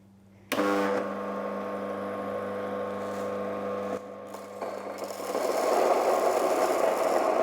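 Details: Mockmill 200 grain mill set around 17-18 for coarse oats: switches on to a steady even hum, then a rising gritty rush as oats feed through the stones; normal running.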